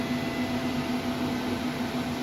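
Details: 12k Growatt low-frequency split-phase off-grid inverter running a 240 V 18,000 BTU mini split heat pump, its internal cooling fan kicked on: steady airy rush with low hum, no rattle, wobble or rubbing; fan running normally.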